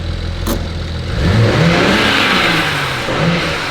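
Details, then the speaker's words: BMW 335i, thought to have rod knock, after repair: steady idle that rises cleanly into a rev and back down, no knocking or tapping at any speed; no rod knock, engine healthy. "okay the car is fixed no rod knock baby"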